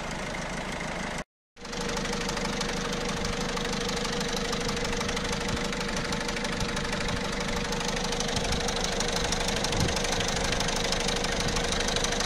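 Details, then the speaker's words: 1.6 HDi diesel at idle, heard from the cam chain side: metallic chatter about three per second that swells and fades, sometimes disappearing; blamed on the timing chain and its tensioners or guides. "الصوت دي اللي عندك هو موجود في الكتينه اكثر شيء الكتينه والتنظيرات متاعها يعني الكتينه والشدادات متاعها"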